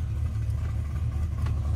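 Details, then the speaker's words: Modified car idling, heard from inside the cabin after the exhaust was reworked and a broken cylinder 5 plug wire was repaired: low, even, subdued rumble with no rasp or blowing, quiet enough for normal conversation. "but like I can actually have a normal conversation, speak at a normal volume in here, even with the engine going."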